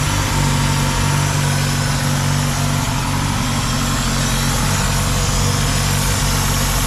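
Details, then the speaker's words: 2000 Ford Contour 2.0, rough idle under load worsening, after intake gasket replacement: steady, slightly uneven idle with constant airy sucking hiss from a vacuum leak at a cracked PCV rubber hose under the intake. "I think it's I think the sucking sounds coming from like farther down the inake so we found the culprit which is a rubber hose that goes to the bottom of the intake up to that metal pip right there"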